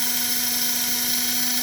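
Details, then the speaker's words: Motor of a 1946 postwar Flyer model train chassis #2 running fast at about 12–13 volts, around 1 amp: steady high-pitched whine with a clear tone, sounding strong and normal; a minor tick elsewhere in the gearing was noted earlier. "But listen to that motor. Holy moly. That's only 12, 13 volts."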